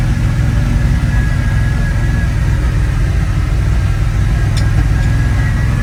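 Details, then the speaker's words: Abandoned 1980 Dodge Power Wagon W300 1-ton 4x4, revived after sitting for years and refuelled with gas, idling after a short drive; deep, even burble with no misses, knocks or hunting, running really well. "Well, now that I drove it a little bit, it's running really good. Running fantastic."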